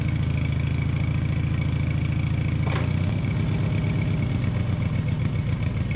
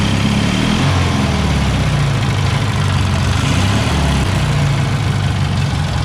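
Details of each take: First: Taurus 650, in the shop: engine holds a fast, busy idle, way too high and never drops to slow tickover, so it takes off; throttle not returning, likely missing return spring; linkage later fixed. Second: Taurus 650 engine after fixing its too-high idle with a new spring and an idle-tab adjustment: a low, steady, even idle with no hunting or surging; normal idle.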